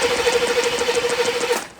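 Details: C4 Corvette, injectors not firing on the noid light: fast, even cranking with a steady starter whine that never catches, then stops. A no-spark crank no-start caused by lost power at the distributor.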